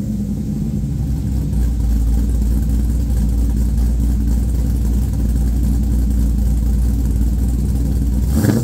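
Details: LQ4 V8 swapped into a 1985 Pontiac Trans Am with a red hot cam, headers and 4in exhaust, on a later restart after the first startup: deep, loud rumble held at steady revs, firing evenly with no misses or knocks; normal revving.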